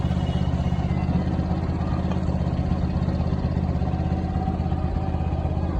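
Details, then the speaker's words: Yamaha FZ motorcycle after replacing worn front sprocket, original chain and rear sprocket okay: even engine pulsing at steady speed, no chain slap, clatter or grind; drive quiet and normal. "Guys देखिए ये हमने गरारी डाल दी है और इसकी चैन एकदम okay ही थी।"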